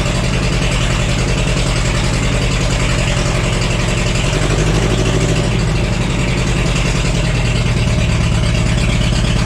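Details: Cheap $200 forklift after ignition work, distributor cap refitted: steady low idle with an uneven beat and an occasional skipped firing pulse; one cylinder missing, traced to a bad spark plug.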